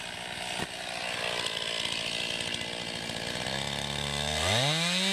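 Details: 2020 Stihl MS261, non-M-Tronic carbureted, 20-inch bar, cutting a poplar log about 1.5 ft across with a straight cut and plunge cut: strong steady buzz while bogged in the cut, pitch climbs cleanly as it clears; healthy saw under load.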